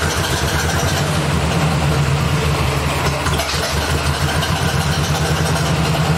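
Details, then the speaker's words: 1964 Ford 4000 tractor after an electronic ignition conversion replacing the points and condenser, timing set by ear: a low idle that stumbles and misses unevenly as the throttle changes. Owner suspects incorrect ignition timing. "Right, I can tell, because when I'm giving it gas, taking off gas, it's kind of missing and not really running steady. So something's not right yet."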